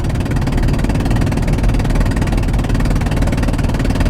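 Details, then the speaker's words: Van with a spark plug blown out of the head, first suspected as a blown-off exhaust: harsh, rapid chuffing puff on every firing, louder under hard throttle; extremely gutless with severe power loss on the highway. "I'm just going to start the van here so you can find out just how noisy something like this can be and something you're going to notice if you have this problem on the highway extremely uh gutless extreme lack of power"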